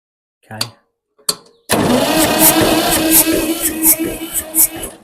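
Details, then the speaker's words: 1962 Massey-Ferguson 35 Super Deluxe with a 3-cylinder Perkins diesel, glow plugs heated and one squirt of starting aid given; after a couple of clicks the starter churns slowly with faint puffs and a little smoke but no firing, so it won't start. "okay H sounds like it's doing something [Music] [Music] I had a little bit of smoke coming out so maybe I need to hit the glow plugs one more time"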